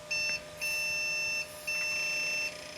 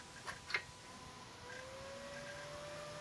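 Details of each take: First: 1997 Compaq Deskpro 2000 (AMD K6), first power-on in 16 years, CMOS battery dead: three long high beeps at power-on with blinking keyboard lights, a POST error; owner suspects RAM, possibly video or the dead battery. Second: 1997 Compaq Deskpro 2000 (AMD K6), first start in 16 years, after swapping in a known-good 256MB RAM stick: fan spins to a steady hum, faint clicks, no error beeps; powers up.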